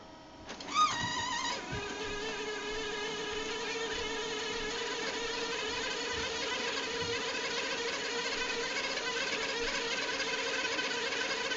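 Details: HP LaserJet 2100/2200DN printing a demo page: the scanner motor spins up with a rising whine, then holds a steady, piercing high-pitched squeal before a fatal error shows on the LEDs; a common scanner motor fault.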